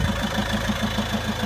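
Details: Volvo V70 2.0 diesel idling with an even tap six or seven times a second over the clatter, near the clutch end; owner suspects clutch or dual mass flywheel, unconfirmed.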